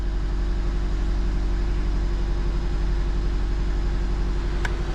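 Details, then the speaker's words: 2004 Nissan Sentra four-cylinder at idle, shaky engine, no misfire codes, only an air-fuel ratio sensor code: uneven lumpy beat from one cylinder missing, found by unplugging coils one at a time. "feel the car is missing so we're going to try to figure out which cylinder is the one that's missing"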